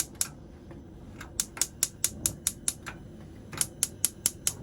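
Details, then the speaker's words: Tribute T720 motorhome gas hob, igniter built into the dial (press down and turn): crisp, sharp ticks about four or five a second in bursts as the knob is pressed. The hob ignition is clicking normally. "Your hob, how to use your hob. No igniter, the igniter's built into the dial, so just press down and turn."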